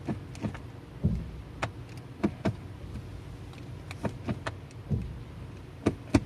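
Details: Transmission noise in reverse only: dull knocks and clunks in uneven bursts with little engine noise when shifting into R, a shock as reverse engages.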